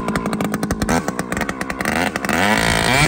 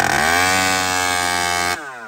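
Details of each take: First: Chainsaw with aftermarket muffler, outer adjustment screw opened about a quarter turn: a few pulls, then it snaps up to a clean, steady high scream held wide open and drops back evenly; running well. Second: Stock chainsaw: high screaming rev holds briefly, then suddenly falls away and sags instead of recovering; running lean and bogging.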